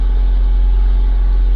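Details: Honda Civic, about 2008, towed in for no start with a short that blows a fuse, battery on charge; now started and idling. Smooth, steady low rumble with no misses or knocks: normal idle.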